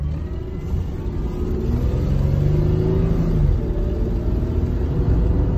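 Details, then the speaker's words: 2004 Mustang 3.9L V6 driving after an oil change: deep booming rumble swelling as it pulls, raw puffing edge on acceleration; runs well apart from a massive exhaust leak. "all right so car sounds like it's running pretty good i mean aside from my massive exhaust leak but that's a fix for another day"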